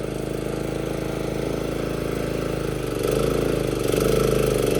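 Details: Old John Deere JX-75 mower, previously flooded by over-choking, choked once: even single-cylinder beat firming up as the blade takes mowing load, no misses; running healthy.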